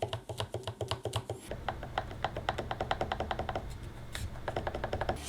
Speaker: Самый главный минус Moza Aircross 2 – это корпус ручки, за которую вы держите, и вот вся нижняя часть. Она выполнена из пластика. Послушайте, как батарея щелкает, когда вы держите ее.